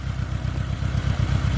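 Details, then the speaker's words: 1986 Honda GL1200 Goldwing flat-four, about 600 miles since acquired, sat an hour at about 60°F, temperature gauge still cold: deep even rumble settling straight into smooth steady idle, no misses or knocks; starts and runs great, cold-natured, carbs probably due eventually. "But anyway, starts and runs great. It's definitely cold natured, so eventually I probably will have to go through the carbs."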